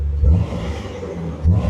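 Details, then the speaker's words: Jeep TJ just after replacing spark plugs whose gaps were nearly three times spec, hoping to cure an intermittent miss: fires right up, two quick clean throttle blips returning promptly to steady idle; response feels crisper, healthy. "Oh yeah, she fired right up. Sounds good. Hopefully it'll solve that intermittent miss."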